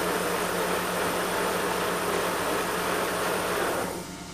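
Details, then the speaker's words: Schaublin 53 lathe with the arm removed and spindle at its lowest speed of 38 rpm: steady soft hiss of oil-mist lubrication air over a low machine hum, easing off at the end; the mist blows as it should and the owner is reassured. "Lorsque je mets en fonction la broche sur sa vitesse la plus faible, 38 tours minutes, eh bien je dois voir le brouillard sortir par ici. D'ailleurs je l'entends, là on entend que ça souffle."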